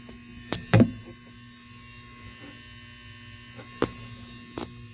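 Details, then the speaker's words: Lord of the Rings pinball machine: a steady, loud mains buzz drones throughout with a few handling knocks. Power transformer humming far too loudly; cause unknown. "i made a post about why the hell is my transformer so loud"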